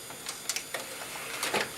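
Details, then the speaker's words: Old PC found near a trash bin: its CD drive is very noisy, with irregular rattling clicks and whirring bursts as the disc spins up and reads. "Elle fait du bruit ce CD. Beaucoup de bruit."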